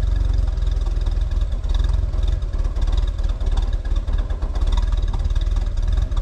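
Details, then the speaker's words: Boom lift engine with rebuilt carburetor, low-speed screw just opened a half turn, foot off the pedal: low, uneven idle that sags and surges without settling, a little better but still struggling; likely still lean, owner may open the screw more. "okay let my foot off the pedal here oh that did make a difference a little bit still struggling"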